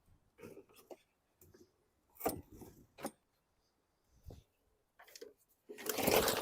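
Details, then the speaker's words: 2017 Bolens lawn mower, non-running, sat outside: a few sharp cord pulls, then the engine catches for about a second in a rough choking sputter and dies; fuel delivery suspected, carburetor to be removed. "So if you could hear that, it kind of started choking."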